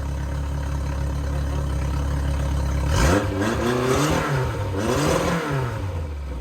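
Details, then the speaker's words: Yamaha four-stroke outboard after carb rebuild, new fuel hoses and pump, pilot screw adjustment and final idle RPM setting: steady even idle, revs up and settles smoothly, no misses, stumbles, smoke or popping; normal idle. "no misses no stumbles no weird sounds everything sounds good"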